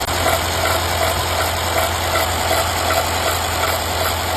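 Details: Mercedes-Benz M278/M276 petrol engine at idle with a fuel bleeding issue: light steady ticking about three per second; abnormal tick, cause suspected but not confirmed.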